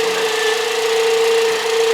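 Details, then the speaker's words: Car alternator at idle, engine bay: steady, piercing mid-pitch whine that rises with engine speed, is weaker at low rpm and absent when driving fast, and stops when the alternator plug is unplugged; owner suspects a failed diode, possibly the voltage regulator or brushes. "จะสังเกตว่าอ่ามันจะหอนนะหอนตามอ่าเครื่องรอบรอบเครื่องยนต์นะอ่าหอนแต่ของผมรู้สึกว่าเอ่อรอบเครื่องยนต์ต่ำมันจะอ่อนนะแต่พอขับเร็วอ่ามันก็ไม่มีเสียงนะครับ"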